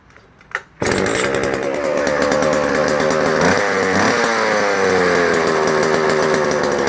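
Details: Vintage JoBu L6 chainsaw on its last run before the fluids are drained and it goes to a new owner: starts on the first pull and settles into a crisp, steady two-stroke buzz that holds revs cleanly; it runs well.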